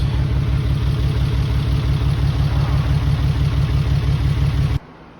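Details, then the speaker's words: Mitsubishi 3000GT VR4, new engine's first start on old, long-sitting cleaned injectors, still cold. Lumpy idle with an uneven, loping pulse of about three beats a second, stumbling. Owner suspects injectors, with one or two cylinders misfiring. "Definitely injector problem. Probably one cylinder misfiring right now, or maybe two."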